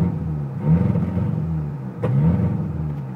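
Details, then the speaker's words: Turbocharged car on a warm day, the only time the problem occurs: engine revs unevenly, deep rumble dipping and catching as if stumbling, blow-off valve venting on simple revs; owner suspects a misfire or vacuum leak. "basically what it's been doing um it's also causing the blow off to actually um off just by simply revving it which this car never and i mean never does that i don't know what this is i don't know what's causing it"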